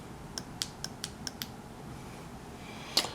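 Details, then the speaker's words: 1994 Saab 9000 Mark IV ABS valve body on the bench, solenoids actuated by shorting wires (pins 1/10 voltage, pins 2–9 ground triggers): six crisp clicks a quarter second apart, then a louder snap. The ABS solenoids work normally. "i hear it i hear the solenoid that was me shorting out on the wires i don't know if you can hear it or not"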